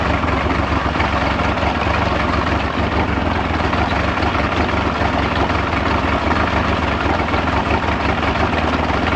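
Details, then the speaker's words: Mid-1990s Mercury 115hp inline-4 two-stroke outboard on a Ranger bass boat, with a loss-of-power complaint and a removed rectifier found, restarted during charging checks: settles into a steady, even burble with no stumbling or misfire gaps. Normal idle. "I remember I fired this up the other day and I was like, man, this thing runs great."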